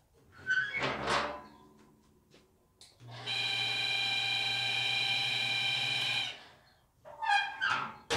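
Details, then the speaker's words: 2012 Texas XL Traeger pellet grill: loud steady high-pitched squeal, sounds like something stuck; auger spins freely and fire pot cleaned, bearing considered but unconfirmed. "You can see, pretty horrible noise, and first indication is that's the sound of something that's stuck."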